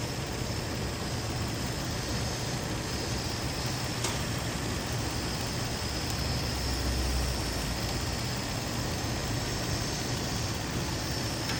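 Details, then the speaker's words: 2003 Infiniti G35 3.5 V6, warm after running about 20 minutes, after spark plug and coolant crossover pipe replacement; smooth idle with a constant thin hiss at the PCV valve; vacuum leak, likely the PCV valve O-ring, gone once tightened. "Got what sounds like a vacuum leak right around this right around that PCV valve."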